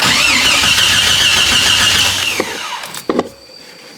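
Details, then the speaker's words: Jeep Cherokee XJ that broke down in the shop: starter whirs steadily about two seconds, never catches; owner suspects distributor pickup not triggering relays and injectors, checking wiring. Crank no start. "I said it still should do something while it's spinning over. Meaning when it spins over, it'll trigger the relays. And if the pickup doesn't distributor doesn't pick up, it won't fire the injectors."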